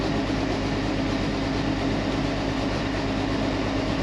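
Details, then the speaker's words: Combine with 4,288 hours, just started in winter and left running: a steady, heavy diesel drone with an even low rumble and no misses or knocks; the engine runs smoothly. "That's great. It sounds so great. I'm excited for this summer."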